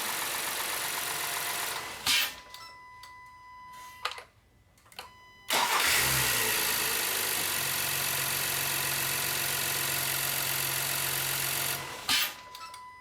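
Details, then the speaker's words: 2016 Honda Pilot after replacing fuel injectors for code P219B (bank 2 air-fuel ratio imbalance): engine idles with a smooth, even low hum, no ticking, knocking or weird noises; healthy idle after repair, check engine light stayed off on test drive. "Alright guys, as you can see, the engine is running. The engine sounds good. There are no weird noises, no leaks."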